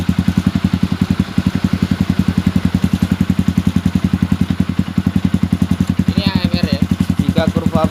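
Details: Modified Yamaha Xabre/Vixion after cleaning injector, fuel pump filter and throttle body and soldering broken O2 sensor wire, warm near 80°C: steady single-cylinder idle thump about three beats a second, no stumbles; lean stalling idle fixed.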